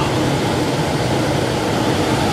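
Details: Old Goodman A49 4-ton air handler in an attic, called in for no cooling, with no blower action, a burnt smell and a dirty, moldy blower wheel; after service a steady, even rush of air with a constant low hum and no rubbing, squealing or rattling, blower running normally.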